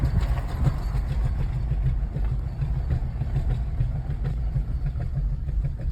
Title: 2013 Toyota RAV4 makes a noise when turning in circles/doing tight turns. any idea what it could be?